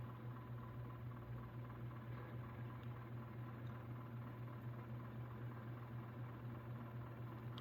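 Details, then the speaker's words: 1989 Encon Premier Deluxe 36-inch three-speed reversible flush-mount ceiling fan, new in box, on medium speed: soft steady hum with a faint regular pitter-patter about four times a second; bearings dry from sitting dormant 30+ years. "the bearings make a little noise as well from being sitting dormant for 30 plus years that's to be expected"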